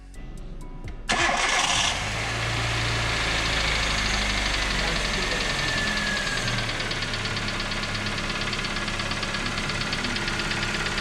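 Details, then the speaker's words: Engine after hydraulic lifters and the oil pump plunger and spring were replaced, knock earlier heard from the sump: cranks and idles with a faint light rhythmic knock, quieter but still present; cause undetermined. "завели но стук блин остался меньше стало то его еле еле слышно вообще вот он пропадает звук то пропадает на но может масло то чтоб час до гидриков прогонит вот он немножко стал потише но все равно он остался"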